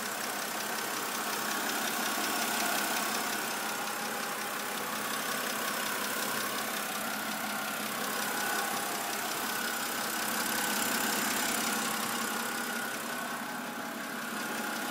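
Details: 2008 BMW 328i coupe idling with light steady clicking, about three ticks a second; lifters suspected and replaced under a BMW service bulletin, but the sound returned; dealer now suspects the cylinder head.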